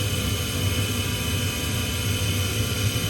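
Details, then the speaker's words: Inducer motor on a Trane XV95/XE80 gas furnace in the attic, gas kicking in: loud steady whirring roar with a thin high whine, audible downstairs. Far too loud, so the owner expects this fan to fail soon. "You can still hear this all the way downstairs. Now, obviously, it's not as loud, but it shouldn't be that stinking loud. So, um, this fan's probably going to go out."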